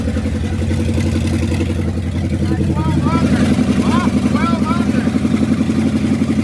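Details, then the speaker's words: 1969 Dodge W300 Power Wagon, 440 big block, first run after storage: loud, steady lumpy idle through open headers, firm even pulses about four per second, no tapping or knocking; healthy, though a new carburetor is planned. "But now I know it's running. It's not tapping. It's not knocking. It's not chirping. It sounded good. It sounded healthy."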